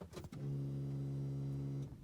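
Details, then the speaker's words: Skoda Roomster 1.4 petrol with P0171 lean code, heard from inside the car with the under-seat pump: steady low hum for about 1.5 s after key-on during priming, pump sounding rough and suspected failing; noisy fuel pump. "i know and you'll see what we're getting at the pump it's actually making noise i heard it first time i've been in as i said they're in underneath the seat and the pump doesn't sound good from here"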